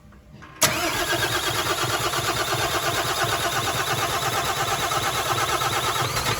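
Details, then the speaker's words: MAN TGM 18.340 truck with a D0836 LFL65 diesel, about 745,889 km, previously smoking with no compression in cylinder 6; first start after rebuild and reinstall: brief crank, then an even, steady idle with no knocks or misses. "Động cơ đã được lắp đặt, mọi thứ được kết nối ở mọi nơi, chúng tôi đang thử lần đầu tiên khởi động"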